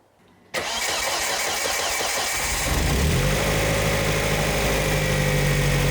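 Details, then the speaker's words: Volvo S40 with Holset HX40 turbo, first start on newly fitted Speeduino ECU after setting timing: starts after a few turns, then uneven lumpy wavering idle; mixture judged too lean. Rough running after start. "sweet so it sounds like everything is too lean"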